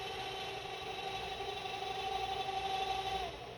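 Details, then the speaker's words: UltiMate 3000 autosampler after repair, previously power-cycling and throwing motor errors during self-test: quiet mechanical hum with steady mid-pitch tone for a couple of seconds then stops, passing self-test; normal self-test. "see if it makes it through a self test so we're just waiting for it to do all these and then that red light there should turn green if all goes well it seems good so"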